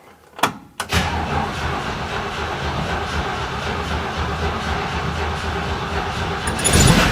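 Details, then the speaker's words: 1970 Jeepster Commando after Rochester carburetor rebuild, fixing hard starting: two short cranks, catches quickly, steady even idle with no misfire; fuel leaking from carb top, owner suspects float not shutting off; normal start and idle. "I fired up pretty quick and it sounds like it's running really, really good."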